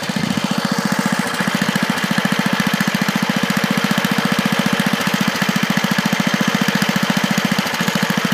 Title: Tecumseh engine misfire